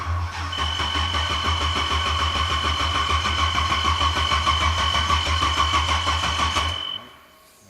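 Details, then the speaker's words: NASCAR Cobra that died after tuning, now worked on: fast steady cranking about three beats per second with a loud low drone, then cutting out; believed flooded and cranked to clear fuel. "Yeah, she's going to be flooded as hell right now. And we just crank it and let it kind of spit some of that out."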